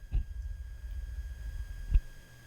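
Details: Aiyima A07 amplifier on a 48 V 5.2 A power supply, volume at 75-100%: thin steady high whistle around 1600 Hz under a couple of low thumps. Power supply induced tone noise.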